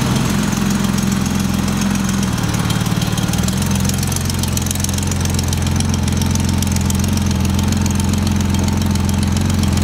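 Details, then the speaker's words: 1977 Porsche 911 barn find, first running after sitting, warming up: low uneven lumpy idle loping about three per second, very smoky from burning oil, settling down; runs but idles roughly, cause not confirmed. "it's taking a little while to kind of even out but it's settling down a ton you can see it's just smoky it's so smoky in there but it is idling"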